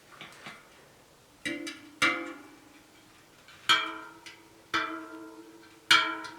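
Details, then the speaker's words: Bent 29er rim (WTV ST130) from an On-One hardtail being trued: bright plucked spoke pings, mostly at a similar pitch, but one is clearly lower. That spoke has low tension, so the tension is uneven. "you can hear they're both consistent these aren't though that's quite a bit lower I'm just locking that one off a bit"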